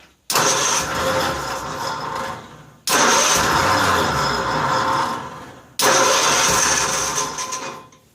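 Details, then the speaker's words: 1955 Cushman Truckster, cold start after sitting a couple of years: three long cranking bursts, each catching briefly then dying. Hard starting; owner suspects air in fuel system (bubbles seen), fuel bolt leaking, needs fuel bowl gasket. "I also think what's happening is it's getting air out of the fuel system because I saw a lot of bubbles."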